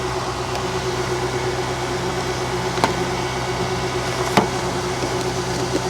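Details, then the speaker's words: High-mileage 2007 Infiniti M35 (288,000 miles) at a salvage auction, listed as mechanical damage, idling with a steady even hum and no knocks or misses; alternator charging 14.4 V, some smoke likely oil burning off valve covers; runs great. "She's running like a champ. She is. She runs great."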